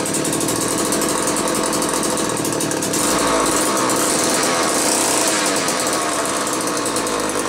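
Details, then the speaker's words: Old McCulloch 1-40 two-stroke chainsaw, very smoky: ragged buzz surging and sagging irregularly, no clean steady rev; suspected bad crankshaft seal on one side or crankcase sludge, maybe carb rebuild kit; tuning not far off, cause unconfirmed. "I'm not totally sure what to make of this one it almost acts like it could have a bad crankshaft seal on one side but with how bad it's smoking and I know the tuning isn't that far off"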